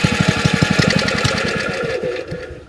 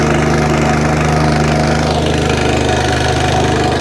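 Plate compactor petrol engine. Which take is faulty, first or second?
first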